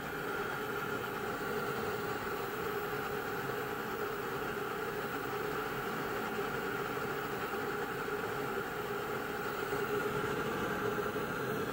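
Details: Navien NR-240A gas water heater running: steady burner and fan roar with faint mid-pitch drone and uneven rush; loud noises, irregular intake, intermittent error 12 flame-out and uneven heating despite cleaning and a new flow sensor; cause unclear.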